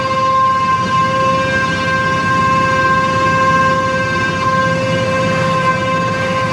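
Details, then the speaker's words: Mini hydrovac slurry vac: supercharger believed from a 3.8 L V6 (M90 rotors likely) plumbed backwards as a vacuum pump, driven by a 15 hp Chinese motor; steady high whine over the motor's low hum, even pitch; normal operation, loud, may get a muffler. "they do make quite a bit of sound so i might end up running the other side of that supercharger through a muffler or something out the side of the box"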